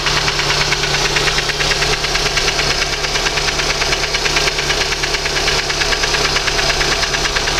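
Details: Lada 2115 idling with a quick steady knock, roughly two per second: internal engine knock, source not pinned down.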